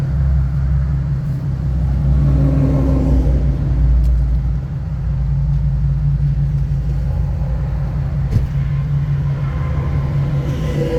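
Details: 2015 Nissan 370Z after front-end collision and frame repair, idling after its cold start: deep, even low rumble holding steady with no knocks or misses; running good, settled healthy idle.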